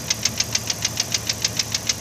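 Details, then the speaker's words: Sharp regular knock, about seven a second, a clunk rather than a lifter tick, from the centre of the engine below the intake. It fades at higher rpm and slaps on deceleration; the owner suspects a worn cam lobe or piston slap. "This is more of a cluck. So it kind of goes away at a higher RPM, but as you decelerate, it slaps."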